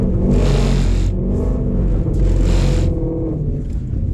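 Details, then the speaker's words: Ford Shelby GT350 in the wet, track mode, hard second-gear launch: the engine roar pulses unevenly with a heavy low shudder instead of pulling cleanly. A violent shudder, cause unclear. "You guys can just hear that violent shake. Not sure what's up with that. It just does not want to let it go."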